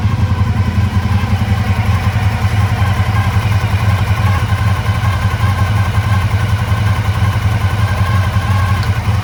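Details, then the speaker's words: 1985 Honda VF1000R, run after years of storage with carbs not drained, warmed about a minute: loud, uneven, lumpy idle on three cylinders; rear right cylinder dead at idle, suspected clogged pilot jet from float bowl muck. "yeah so we can see uh the rare right cylinder uh is definitely not uh is definitely not running at idle so I think uh at this stage we're going to have to pull the carbs check those out"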